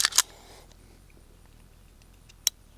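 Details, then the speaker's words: Fusion Firearms XP-Pro Comp pistol after about 1500 rounds, trigger held next to the microphone: two sharp clicks close together, then one crisp click; the trigger reset is clean, tactile and audible, working normally. "You guys probably hear that reset. So, I feel like the reset is a little bit more uh tactile and audible now."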